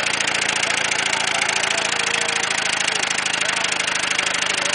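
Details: Ford Taurus engine running with no oil in the pan: fast, hard metallic rod knock rattling without letup, starved connecting-rod bearing, until the engine froze up and stalled.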